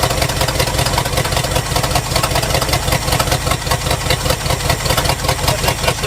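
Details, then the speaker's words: 1971 Lincoln Continental Mark III idling unevenly with a lumpy, stumbling beat about twice a second. It is misfiring on two weak cylinders. "so looks like these two right here are our weak unhappy cylinders"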